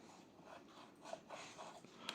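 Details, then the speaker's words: Lemax Spooky Town Dead Fraternity Halloween village piece: faint irregular crackles and small clicks from a stiff plastic gear turning with difficulty while another turns freely; suspected overtight pinion or obstruction underneath, binding gear crackle. "bon première chose c'est que celui-là tourne sans aucune difficulté voilà et celui-là on entend un petit peu le"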